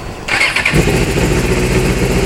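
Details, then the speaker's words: 2001 Suzuki GSXR600, accident-damaged, 37,451 miles, fuel injected: short crank, then catches cleanly into an even, strong idle without misses, running and shifting as it should; normal start. "go to the stuck in here are you there you go the motors jaw running and shifting as it should"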